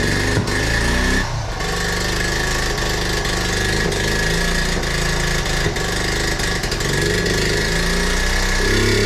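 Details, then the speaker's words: 1976 Honda Z50J1 Monkey with a new, possibly untuned carb: uneven, stumbling idle beats with skipped firings instead of a steady putter; misfire later traced to incorrect ignition points gap. "Damn it! Still running bad. Well, that is a shame."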